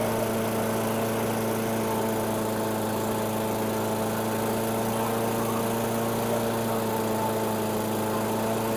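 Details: 2008 Weedeater 22-inch 500 series mower, engine model 10T502, after non-start repair work: steady fast buzz, even drone, no misses or surging; RPMs a little high, possibly left high for heavy cutting; throttle cable and a possibly bent screw to check.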